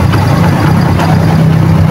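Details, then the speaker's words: Barako 175 single-cylinder motorcycle whose CDI needs a constant 12 V, after a battery was fitted: steady, even idle without the earlier breathing or hunting; normal running. "yan pipino na yung kanyang andar hindi na humihinga parang may hard bit Yung kanyang andar ngayon"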